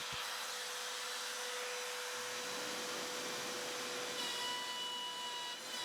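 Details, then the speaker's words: Small router used as CNC spindle cutting a much harder salvaged wood piece: whine sags and labours with coarse cutting noise; router bogging down under too deep a pass, depth to be reduced. "You could hear that really bogging down like crazy. So, this small router really is struggling quite a bit to get through this."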